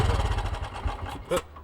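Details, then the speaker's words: 1968 BSA Starfire motorcycle with a newly fitted carburetor: uneven single-cylinder thumping weakens and dies within about a second; won't hold idle, new carb needs adjusting. "She's not going to keep running. All right, you've put a new carburetor on here, haven't you, Ian?"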